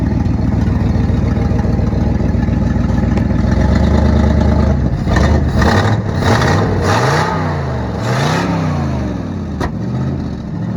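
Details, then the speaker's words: 1972 Ford F-350 V8 auction truck after getting it running: even idle then several crisp rev blips, no valve train clatter; owner says it sounds and runs good, possible exhaust leak on one side (donut). "I'll bet that we can make her pull off this trailer pretty simple. I just can't do it holding y'all. Sounds good, runs good."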